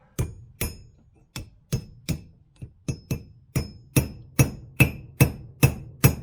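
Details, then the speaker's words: 1995 Range Rover Softdash SE swivel rebuild for a long-running ABS issue: steady hammer blows about two a second driving a bearing race, strikes turning sharper and more solid at the end as it seats on the bottom. "beautiful that is in you can tell it's in you can hear it's in so it's on the bottom seat now it needs to be seated right up against that lip"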